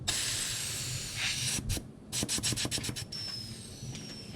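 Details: Boosted car missing six to seven pounds of boost after transmission reinstall; pressure test demonstration of a loud steady rushing hiss of air escaping under pressure, then some ticking as it tapers; boost leak.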